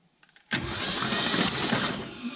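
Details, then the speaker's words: 1969 Ford F-250 V8 sat since 2001, engine was seized and freed with transmission fluid, spark plugs out, cranked on test switch: starter turns briskly and evenly, no dragging or grinding; healthy cranking despite starter buried under header. "got it spinning over pretty good pretty good speed too i was worried that starter wasn't going to be any good because it's buried under that header but starter seems to be good"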